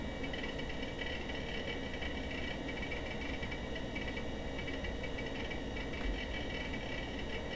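Rapid, irregular clicking and churning from a hard drive seeking nonstop over a steady fan hiss.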